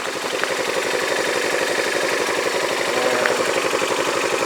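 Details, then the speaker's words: Yamaha Majesty scooter on a lift, idling at about 1,100–1,200 rpm: an uneven metallic clank about three beats a second from the CVT drive side; the owner wonders whether it is belt slap or the clutch and plans to take it apart. "1,200 rpms is what it idles down to it'll make a clanking sound oh is the belt slapping I don't know what that noise is the clutch itself"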